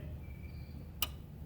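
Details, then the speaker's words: Mach 1 Mustang that won't crank with key: one sharp single click from the engine bay, possibly the solenoid, then only quiet hum while holding the key; engine never turns over. Cause not confirmed. "i get the click i don't i'm here by myself so i don't know i'm not up there i'm gonna crank it cranking it now i'm going to turn the key back so hopefully you guys can hear it"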